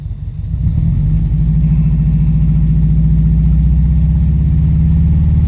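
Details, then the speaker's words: Lifted Subaru GC8 with equal-length headers at idle, catalytic converter and O2 sensor missing: a loud, deep, uneven, lumpy rumble from an intermittent cylinder misfire. Later fixed with plugs, wires and an ignition coil. "there's times that it sounds all right and then there's times it sounds like a subaru and in this case that's not a good noise because this car has equal length headers so it shouldn't sound like it's misfiring like most subarus do"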